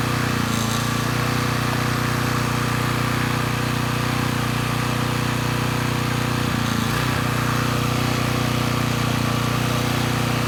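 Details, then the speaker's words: Coleman Powermate Pulse 1850 generator (PM0401850, 1996 engine 93412-0136-01) after carburetor repair, no load, speed being raised toward 61.5–62 Hz; steady even drone at one low pitch, slightly slow, no hunting, normal running; needle may let a little extra fuel drip. "let's say the carburetor issues are sorted out the engine's running pretty well"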